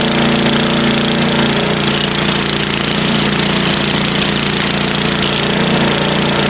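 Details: Snowblower started after sitting all summer, ahead of expected 15 cm of snow; loud, steady small-engine roar with a fast, somewhat uneven chatter throughout: normal running after storage.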